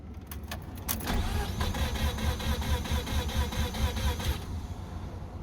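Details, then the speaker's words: Mazda RX-7 rotary that died on the road, cranked with fuel pump off: starter turns about two pulses a second with a soft, uneven beat and no firing; sounds like no compression, owner suspects a blown apex seal. "That sounds like no compression. That's a real bummer. Oh God! Oh, it sounds so bad."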